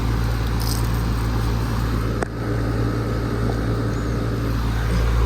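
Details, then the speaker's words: 2017 4-ton air conditioner with LG scroll compressor, suction line cold and sweaty, liquid line warm: smooth, steady low hum with even tone, no rattles or knocks; compressor running normally. "Love the nice LG scroll sound."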